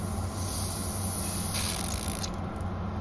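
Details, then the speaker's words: Hayward Maxflo VS pool pump after drive unit repair and fan cleaning, running at speed two: a steady low motor hum with a light hiss of air being purged and no rattles or grinding. Normal, like-new running. "now here the pump running in normal operation this is currently for me like speed two that would come up on this time of year no strange noises now the fan is cleaned out it sounds brand new"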